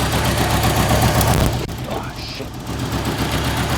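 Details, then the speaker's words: 1985 Merkur XR4Ti, first run after a broken inertia switch was found that kept the fuel pump from running: a low, uneven, lumpy idle with a brief dip mid-clip; rough idle, cause not yet found. "as you can see from the video there's a bit of a rough idle on it so I'll have to look into that and get that fixed up"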